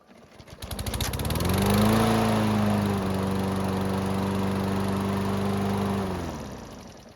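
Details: Toro mower hot restart after valve clearance adjustment: catches on a single pull (previously three), climbs quickly and settles into a steady, even beat; a healthy hot start.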